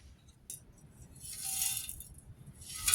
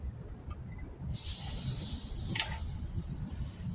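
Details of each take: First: Old Coleman three-burner camp stove (426D) being shaken: loose, gritty rattling in short bursts, a dry sandy shuffle from rust flakes inside the fuel tank; grit was also found on the pump's leather cup. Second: Coleman 426D three-burner camp stove, fuel tank pumped up after cleaning the pump's leather cup: a sharp steady hiss when the cap is loosened shows the tank is holding pressure.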